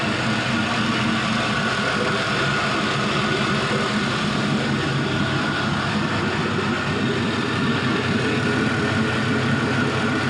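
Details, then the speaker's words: Warm idle of a 5.3L Gen 3 LM7 LS V8 with 180k miles on an engine stand, run up to about 94 degrees with roughly 40 psi oil pressure. Steady, even low rumble with no knocks or misses. Healthy, normal warm idle. "So we're about warmed up. I definitely always like to try and get as much of that heat range as possible so you can see how it sounds, how it runs in many conditions as possible."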